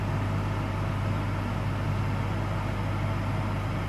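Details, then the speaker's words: Caravan air conditioning unit replaced under warranty for excessive noise, running on auto, heard inside: smooth, even fan rush with a faint steady compressor hum and no rattles or surging. Quiet and normal, not audible outside. "So mainly you can hear the fan and just in the background a slight hum of the compressor but yeah nothing like its before and you can't hear it outside."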